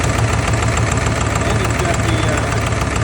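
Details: Ford F250 7.3 Power Stroke diesel idling rough with an uneven, lumpy low thump; arrived with misfire and low power.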